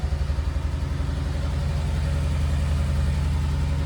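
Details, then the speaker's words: Coyote-swapped 2014 Ford Expedition with a swapped-in F150 electric rack, freshly started at idle before its first drive: lopey idle with uneven pulses, about three or four a second, and a stumbling beat; the misfires are still unfixed from earlier work. "Don't mind the misfires. Still haven't fixed that from the previous video, but I think I'm going to work on that now."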